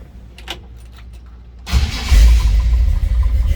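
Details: 1965 Chevrolet C10 short box, V8, recorded from the cab: quiet, then the starter catches and it fires straight up into a strong, even rumble; clean, healthy start.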